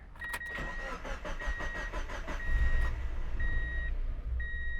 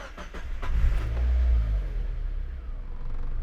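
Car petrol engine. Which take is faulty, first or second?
first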